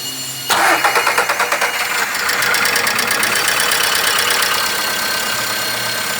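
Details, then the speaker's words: VW Voyage/Gol 1.6 engine at first start right after an oil and filter change, with no oil pressure yet. Brief top-end rattle for a second or two, then a steady even idle; this is normal. "Sem pressão de óleo aí eu estou sugere esse barulho mas depois normaliza"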